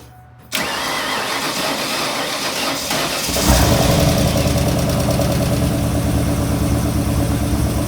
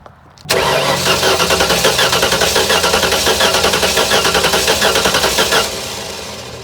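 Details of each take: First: Junkyard 351 Windsor V8 with eBay turbos, first start after valve stem seal work and cylinder head swap for billowing smoke: starter whirs briefly, then it catches and settles into a deep, steady, even idle with no knocks or misses. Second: Junkyard 351W V8 with eBay turbos, smoking despite new valve stem seals, cranking with plugs in before compression test: lopsided chug with one beat lighter each cycle; one cylinder low on compression, later 80 psi, suspected bad cylinder head.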